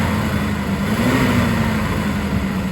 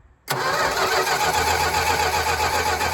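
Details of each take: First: 1967 Plymouth Barracuda, Mopar 273 LA V8 with 120k miles and good compression, first start after about 20 years following Carter BBD 2-barrel carb rebuild: slight miss, revs sag back slowly after a blip; rev hang, cause unconfirmed. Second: 1967 Plymouth Barracuda, 273 LA V8, 120k miles, barn find unstarted 20 years, rebuilt Carter BBD carb, good compression test, oil in cylinders: steady, even cranking about four beats a second for six seconds before firing; normal cranking.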